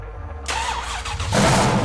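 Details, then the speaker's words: Newly rebuilt V8 in an off-road race car, exhaust stone cold, first start on a base tune after swapping from stock LS2 injectors: brief cranking, catches cleanly within half a second and revs smoothly; normal cold start. "It's alive! woo! It's alive!"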